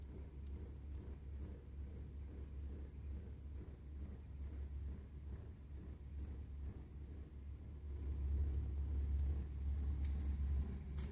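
Low, uneven rumble that surges and swells louder toward the end over a quiet room; the burner is rumbling, cause unclear.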